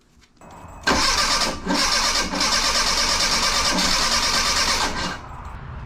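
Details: 1984 Bertone X1/9 with new fuel pump holding about 36 psi and spark confirmed: steady cranking about three turns a second with a few ragged catches that never run; three bad fuel injectors; no start.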